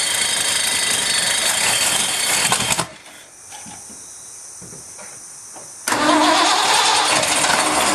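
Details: Ford F-100 first start in 5 years after new spark plugs and rebuilt carburetor with doubled EGR-plate gasket: cranks, pauses, fires and settles to even beat; runs pretty good, needs adjustment, slight exhaust issue.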